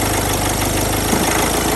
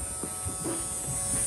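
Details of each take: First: 2008 Mini Clubman R55 1.6 diesel (W40D16), parked two years, crank no start now fixed, intake pipes not all connected: steady even clatter for several seconds then winds down when switched off; normal diesel idle. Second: 2008 Mini Clubman R55 1.6 diesel (W40D16), parked 2 years, crank no-start with about 6 bar fuel pressure versus 5300 requested, return line found blocked: steady electrical buzz, engine off, pressure control valve energised but no fuel delivered.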